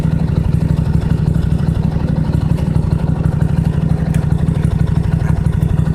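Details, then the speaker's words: Toro LX425 lawn tractor, cold start on jumper cables with choke on after battery dead a while, new spark plugs: steady even low thumping about three beats a second, no misses or stumbles; started well, normal idle. "see if she'll turn over do that month while starting basically it started real good"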